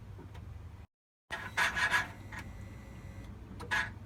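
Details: 2012 Cummins, engine off, key cycling: short buzzing bursts and a faint steady high whine; unidentified noise.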